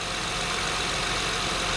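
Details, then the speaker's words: 2003-07 Honda Accord V6 (J30A4) after replacing all six spark plugs; quiet, even idle with a steady hum and soft hiss, no stumble or abnormal shake, now running smooth. "finitely needed this little tune-up I just seem to be running smoother let's go look at the engine and see if it's shaky at all all right so just feeling it I don't feel any abnormal shakes anymore"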